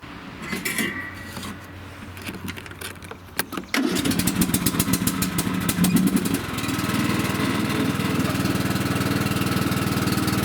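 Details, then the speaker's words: John Deere riding mower after deck repair and new deck belt refit: cranks a few times, catches and settles into an even single-cylinder chug at steady speed; running normally. "Okay, she's all back together. I'm going to start it up and test out this machine."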